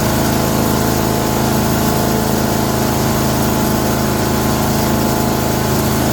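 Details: Chipper's older five-horsepower Briggs & Stratton single-cylinder, restarted with light choke after pull-cord repair, freed valves (Deep Creep) and air cleaner refit, runs smooth and even at steady speed, no misses or knocks; engine healthy.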